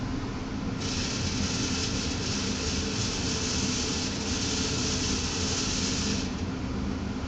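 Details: Newly installed furnace blower running with a steady airflow rush and a high, hissy buzzing rattle that stops briefly at times. The cause was the manufacturer's manual left inside the blower compartment, and the technician removed it.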